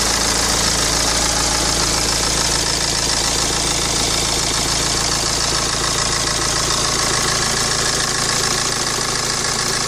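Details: 2010 BMW 116d (E87/E81) with the N47 2.0 diesel, 115 hp, idling stationary: steady metallic clatter with a fast rattle over the combustion knock. Owner suspects the timing chain, unconfirmed; rattling noise at idle.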